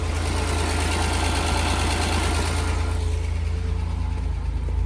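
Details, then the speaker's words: Ford Granada Scorpio Mk3, only a battery fitted: smooth, even idle with a steady low hum and barely any top-end tapping; owner thinks it has mechanical, adjustable tappets. Engine healthy. "no tapping barely any tapping I think the're mechanical on these"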